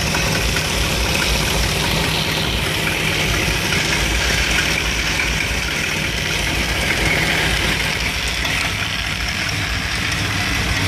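Warm idle with an uneven, stumbling beat and loose irregular pulses instead of a steady rhythm; rough idle, cause not obvious.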